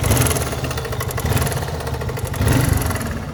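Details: 1981 Yamaha XT 250 single-cylinder, just bought, with an uneven, loose knock over the low exhaust beat; knock from inside the engine, source not yet found.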